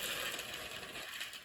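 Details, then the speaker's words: Old 1960s electric train set, unused for a long time and powered up at full blast: thin, gritty gear whir with ratchety clicking, labored on the hill, sparks at the wheels; owner suspects it needs oil, straining gear drive. "she's old might need some oil to get up that hill come on baby look at the Sparks on the wheels there"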